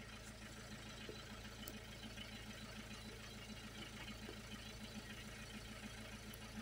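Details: 2001 Peugeot 306 2.0 HDi diesel after ECU replacement and reprogramming, previously no start with no check engine light: steady idle with even low clatter at constant pace, no misses, knocks or hunting.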